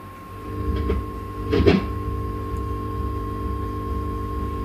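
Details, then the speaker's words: Vox AC30 30th Anniversary Limited Edition amp on bench, plugged into brilliant channel: soft steady low throb pulsing under mains hum like a nightclub next door; vibrato circuit thump bleeding through. "can hear the thump from the vibrato there. Sounds like a nightclub next door."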